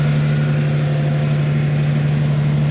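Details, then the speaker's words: Farmall tractor engine, running again after about 3 hours of repair, at idle: smooth, even low drone with constant pitch, no misses or knocks. Earlier it blew carbon chunks out of the stack; owner considers a combustion chamber cleaner and a full tune-up. Normal idle. "maybe some kind of combustion chamber cleaner but I don't know she sounds good she runs good"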